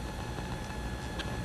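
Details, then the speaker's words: MacBook Pro 16-inch with Pro Display XDR, Dynaudio speakers via audio interface: constant hiss, low buzz and thin high whine, not volume dependent, with no audio; noise from the monitor's power feed, mostly gone when monitor unplugged. "it's not the speakers it's not the audio interface it's not the cables it's the MacBook Pro combined with how this is feeding power"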